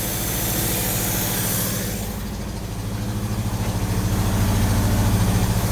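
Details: 1955 Hudson Metropolitan four-cylinder first starting after 28 years dormant, with fogger used and the fuel pump priming: settles into a steady, even idle with a regular low beat and no knocks or misses.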